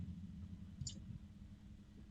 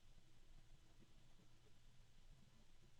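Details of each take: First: Arctic Liquid Freezer II 360 Black AIO liquid cooler running, same fans as Liquid Freezer III: soft steady low hum from fans and pump with one small click, no rattle or gurgle; normal quiet cooler operation. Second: Arctic Liquid Freezer II 360 AIO radiator fans slowed to minimum speed: very quiet steady low hum with a second mid-pitched tone; harmonic resonance with two tones, low and medium.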